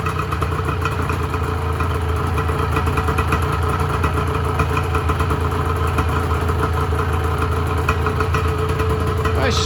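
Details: 1986 Honda NS400R 400cc two-stroke triple, first start after 11 months sitting: crisp, even idle burble with a quick blip near the end, firing cleanly on all three; healthy, though the oil light stays on (owner suspects the oil level sensor connection).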